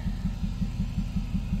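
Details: Mazda four-cylinder idling with a cylinder 4 connection deliberately unplugged for a scanner test: rough idle with a regular stumble about five times a second, running on three cylinders; cylinder misfire.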